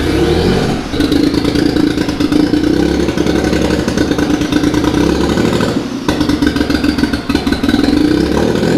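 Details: Mitsubishi 3000GT VR4 twin-turbo 6G72 V6, new engine first start: ragged, stumbling beat through two throttle blips; owner suspects misfire from something unplugged, possibly a rear injector connector popped off.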